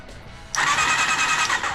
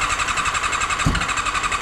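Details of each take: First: Honda CBR400RR NC29 barn find, spark plugs removed so no compression: starter spins the engine fast and evenly with a steady high whine and no labouring; electrical switch faults noted separately. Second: Long-abandoned barn-find Honda CBR400RR NC29 with electrical issues catches on starting spray and runs raggedly for a few seconds with uneven pops, then dies; likely fuel not reaching the engine.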